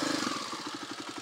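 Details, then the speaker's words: Carbureted motorcycle idling, hard starting after going from too rich to a little too lean: a quick, even clicking clatter in time with a single-cylinder idle, described as more clicking than rattling, not valve tap; a worn cam chain tensioner. "yeah you can hear the thing yeah in real life it does sound more like a clicking than a rattling that you can hear the pain clicking"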